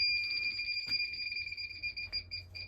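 A steady high electronic tone, pitched near 2.5 kHz with a strong overtone, sounds continuously: the gas detector alarming at a leaking union.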